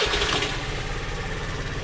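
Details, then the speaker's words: Honda moped just fitted with a new Yuasa battery after the old one would not hold a charge; fuel pump primes first. Catches instantly, then settles to an even, quick-ticking idle with no misses; healthy start. "So that's ticking over really well, just as you'd expect with a new battery."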